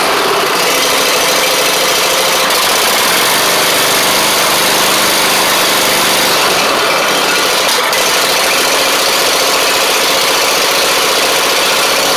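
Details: Troy-Bilt Mustang Z46 zero-turn during wiring repair, test-started with one spark plug wire possibly not fully connected: loud, close, steady engine noise with no misses or hesitation; fires and holds an even idle.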